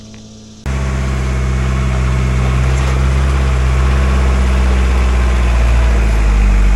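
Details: Mahindra 4110 tractor diesel after head gasket repair, working a grapple on big logs. Deep, even drone climbing smoothly under load, no knocks or misses; not smoking or overheating: normal healthy running under load.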